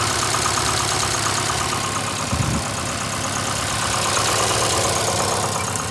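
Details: VAZ 2115 8-valve idling with a faint quick tick-knock near three beats a second; head gasket at cylinder one failed a week ago, check light on, jerks while driving, noise changes when warm, owner suspects worn valves. Knocking noise, cause unconfirmed.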